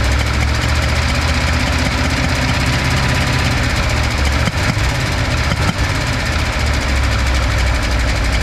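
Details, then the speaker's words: V8 after compression test, spark plugs and wires reinstalled; number 4 is the backfiring cylinder and number 6 is down on compression: rough shaky idle with a couple of sharp pops, backfiring problem still present. "The issue's still there, not surprising."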